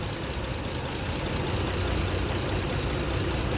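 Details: Ford engine at steady idle with a loose, stumbling beat; one cylinder is dead with no spark despite a newly replaced and swapped ignition coil and ~13 V supply present. Fault traced to no output from the igniter/ignition module.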